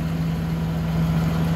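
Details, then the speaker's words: Suzuki Multicab F6A three-cylinder after crank-no-start repair: shorted fuel pump kept blowing ignition coil fuse, pump replaced: steady even low hum, no misses, knocks or ticks; normal idle. "Ayan guys ah umandar na siya. Ah pinalitan ko na ng bagong fuel pump kasi 'yung bagong 'yung lumang fuel pump shorted na."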